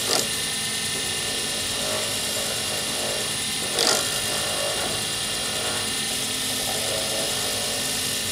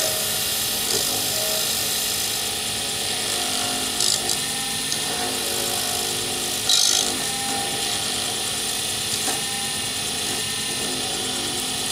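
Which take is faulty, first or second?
first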